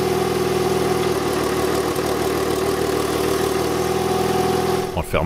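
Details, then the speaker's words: Citroën C2 engine, originally from another car and paired with a mismatched computer (wrong camshafts and injectors for it), at idle: steady, smooth even beat with no misses, hunting or ticking; the engine itself is judged sound. "the engine is running perfectly you can hear it clearly I think I have to make up my mind this engine it is undoubtedly impeccable"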